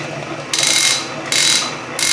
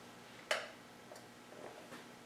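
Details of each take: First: Refurbished Canedy-Otto drill press in power feed: three short bursts of rapid, crisp clicking as the hand wheel is turned to advance the drill faster; normal power-feed ratchet action. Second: Refurbished Canedy-Otto drill press set to lowest speed and lowest feed: motor spins up to a steady whir with a light tick about three times a second, the extremely loose belt slapping; loose drive belt needs tightening.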